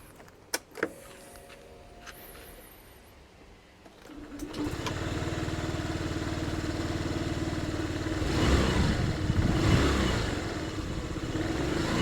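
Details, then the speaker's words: Yamaha Jog AY01 scooter, AF74E engine (as Honda Tact AF75/79, Dunk), after valve clearance adjustment: catches quickly, steady smooth idle, picks up cleanly on throttle with no tapping; runs smoother and quieter. "The engine runs smoother and quieter now."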